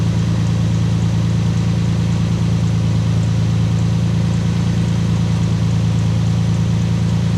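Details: Lexus IS200 idling during an oil change. A smooth, even low idle with a steady rumble and no squeal or chirp; the earlier belt noise can no longer be heard. Normal idle.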